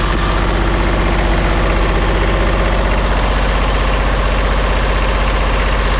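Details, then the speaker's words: Old diesel vibratory roller compactor, first run after sitting 30 years: uneven chug at mid throttle, about three beats a second with a dropped beat, a bit smoky; owner thinks it is missing on one cylinder. "I'm sure you can tell it's not running the best I think it's missing on one of the in definitely miss"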